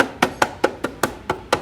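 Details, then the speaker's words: Honda Activa 125 scooter, loose front visor while in use: sharp dry plastic clacks about five per second, evenly spaced, no engine rumble underneath; visor rattle. "ये देखिए सारी काफी आवाज आ रही है इसमें पर ज्यादातर आवाज इसमें से वाइजर से आती है"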